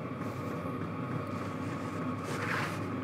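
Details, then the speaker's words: New portable diesel tent heater warmed up in shop at 68°F, 47% humidity: steady even blowing hum, no surges or rattles; running smoothly, normal. "see it's not too loud I can still hear the clicking but it's gotten a lot quieter this thing's going to be sick oh wow that is really hot air pumping out of there"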